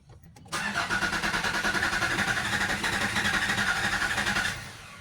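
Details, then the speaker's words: 2019 Nissan Terra diesel, automatic, cranks steadily at about four pulses a second for four seconds on a boosted battery but never fires; fuses, relays and wiring checked OK, later traced to injector problems. "Okay na so yun regondo lang siya ayaw tumuloy"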